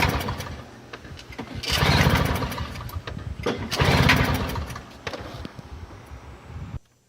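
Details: Toro CCR2000 single-stage snowblower, 2-stroke 4.5 hp Suzuki with a Mikuni carb on 50:1 mix, primed and choked: two hard pull-start surges with sputtering pops but no sustained running; a fouled carburetor float bowl keeps it from starting.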